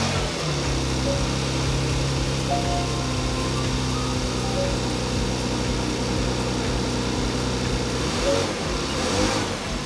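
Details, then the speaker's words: 2017 Porsche Macan GTS after a thermostat replacement with the front clip left in place: a smooth, even engine hum at steady pitch with no ticking, misfire or rattle; running normally, check engine light still to clear. "sounds really good all I got left to do clear the check engine light"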